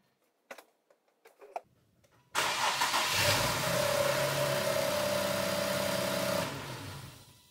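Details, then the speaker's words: Infiniti Q50 with code P0335 (crankshaft sensor circuit) after a third engine install, scope tapped into the sensor signal line: a few clicks, then the starter whines steadily for about four seconds and the engine never catches. Cause unconfirmed. "Okay, so that was three cranking events and the first one seemed kind of normal sounding."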